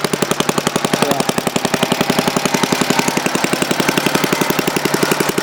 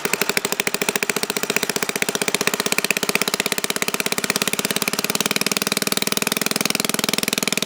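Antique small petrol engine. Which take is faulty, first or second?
second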